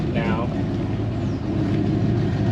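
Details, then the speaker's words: Fox body car idling after a fuel pump replacement: steady, even low idle rumble with no stumble or surging; it now runs a lot smoother. "A lot smoother really."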